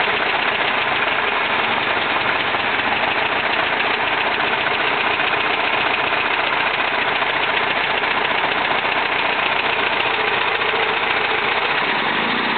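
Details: 1971 VW Type 3 Fastback flat-four, just static timed with the vacuum advance fixed: lumpy, irregular stumbling idle that seems to run on two cylinders; pulling plug wires 1 or 3 changes nothing, 2 or 4 kills it; cause unknown.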